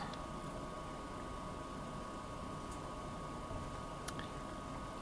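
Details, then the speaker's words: Harman Accentra pellet stove, ignition cycle: steady blower hum at even pitch with occasional light pellet ticks from the feeder, no screeching; normal startup, flame follows. "sounds good I don't hear any screeching and we'll come back in a few minutes to see if we have flamage"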